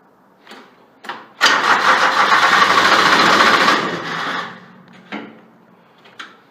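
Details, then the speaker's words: Grasshopper 721D diesel mower after side-post battery bolt repair, unused a week or two, glow plugs heated ~20 seconds by holding key: two relay clicks, then the starter cranks hard for a few seconds and it fires; normal start. "This thing hadn't been cranked in about a week or two, so let's see. Try it again. Hear the relay click. Give it a little gas."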